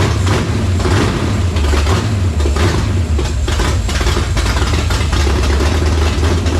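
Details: Foxbody convertible with reassembled carburetor: lumpy, uneven idle on choke with irregular stumbles over deep rumble; rough idle, owner concludes carburetor fault, suspects something plugged in the mid-range circuit.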